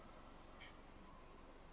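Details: 2013 Fiat 500 warm idle after thermostat replacement: quiet, steady, even beat with no stumbles or knocks. The fan has cycled, the thermostat is open, the hose is hot and there are no leaks; running properly.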